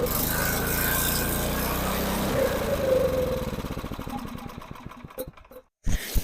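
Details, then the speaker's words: Snow blower small engine with a cracked fuel line, before the carburetor clean: it runs rough, firing turns uneven and spaced out, coughs and dies; fuel starvation suspected, likely in the carburetor. "I don't know why it's sputtering. It's just straight up not getting fuel somehow."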